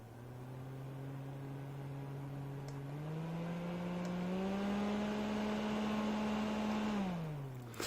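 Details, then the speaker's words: Panergy portable misting fan, roughly 80 mm fan, on each of three speeds: steady humming drone stepping up in pitch with speed, clearly loud even on first speed; excessively noisy fan motor. "là comme vous avez pu voir je me suis arrêté de parler pour bien entendre le les nuisances sonores donc par contre ça c'est un des gros défauts sur ventilateur malheureusement c'est une nuisance assez importante avec un son qui est quand même très audible dès la première vitesse"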